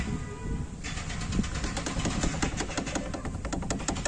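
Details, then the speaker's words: Tata Indigo rolling, before the fix: quiet at first, then a quick steady metallic rattle over road rumble from loose brake caliper slider pins. "मैं आपको सुना रहा था कैसी खड़खड़ आवाज ए रही थी इसने कैलिपर में"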